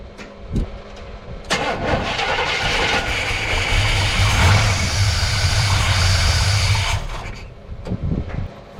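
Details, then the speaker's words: 1964 El Camino with aftermarket Powerjection III throttle body, fuel dumped in before cranking: it cranks, catches into a rough, loud run for a few seconds, then dies; a gurgling noise was heard, cause not yet found. "nice okay well got it to fire that's good um I'm wondering what that gurgling was"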